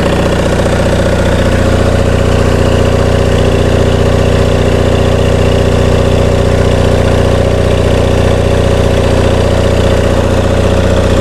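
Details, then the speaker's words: Onan MDJE twin-cylinder diesel genset on a temporary cooling system, generator producing only 9–10 V residual: an even clatter at a settled idle with no misses or knocks; a healthy engine. "Well, I think we've determined we got a pretty decent engine here, and it's time to concentrate on getting this generator end working."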